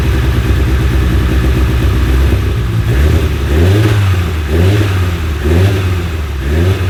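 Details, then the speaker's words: Fully built 2008-2015 Mitsubishi Evo X, first start-up after cam and AMS fuel rail changes; running very rich, 10 AFR, surging and stumbling under held throttle, won't idle by itself; cause unconfirmed, possibly flooded. "I wish I could get it to stay running but I honestly won't even idle by itself right now"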